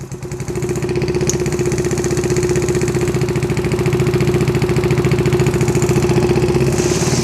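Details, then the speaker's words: Yamaha Zuma with 158cc big bore kit, first test start after rebuild with new piston rings and timing chain, battery on jump start: idle first too low, then a steady even single-cylinder putter with no knocks, ticks or misses; normal idle. "so i'm just gonna let it idle all right so there you go it sounds like it's working success yay"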